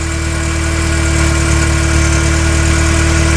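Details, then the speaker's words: 1994 Suburban LS swap with taller parts fitted using adapters. After the air pump shuts off, it settles into a steady, even idle with no skips. Normal idle, no misfire heard. "The air pump just turned off and it idled down. And I don't hear any misses."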